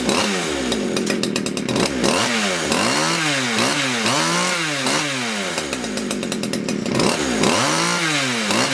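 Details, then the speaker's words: Poulan Wood Shark small two-stroke chainsaw, 14-inch bar, after no-start diagnosis: revs surge up and down unevenly, hunting and blubbering; running rough, owner suspects it is a little flooded. "she's a little floody for some reason"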